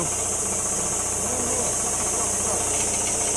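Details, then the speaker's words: About 40-year-old air compressor, freshly oiled, run to about 60 psi: fast, uneven metallic knocking roughly three or four a second over a hissy run; owner suspects a failed reed valve, not confirmed. "That valve just might have failed, you know? Might have went bad."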